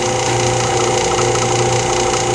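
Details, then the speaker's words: Lathe vacuum chuck pump running during segmented bowl turning, gauge showing modest vacuum, probably okay. Constant, even drone with steady hum and hiss, no surging or rattles; running normally. "so i'm only using this for alignment purposes turn my vacuum on closed my gauge"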